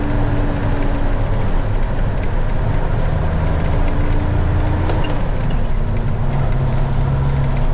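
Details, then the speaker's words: 2000 Freightliner FLD120 diesel semi pulling away in first gear with fan clutch engaged during solenoid check: deep steady loud roar of the cooling fan drowning out lighter engine and turbo sounds. "let me take off this fitting camera but it's really loud all right I'm going to leave the fan on and take off"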